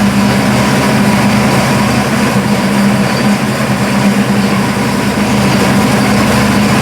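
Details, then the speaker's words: Burnt Buick P12 engine after refitting valve covers with gaskets and topping off oil, car jacked up with rear wheels spinning in Drive: steady even idle, no tapping or knock; earlier knock attributed to loose valve cover hitting a rocker. "okay folks that sounds better I think it was the loose valve cover it was hitting a rocker"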